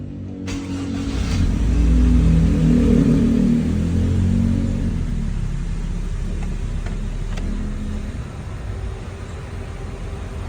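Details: Honda Civic petrol engine with rough idle when the A/C is on: an uneven low rumble swelling and sagging as the idle dips; the IACV was swapped without fixing it and ignition timing read 19° advance.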